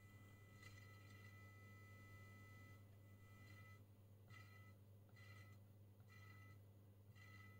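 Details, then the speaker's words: 1974 HP/Harrison Laboratories 6226A 0-40V 1.5A power supply, fanless with switched pre-regulator, idling at about 20 W: faint low hum with short high chirps about once a second as the pulse-skipping pre-regulator charges the capacitors. "again that pre-regulator is scary yeah exactly what's happening here you can hear the pre-regulator is aggressive dangerous every time it charges the"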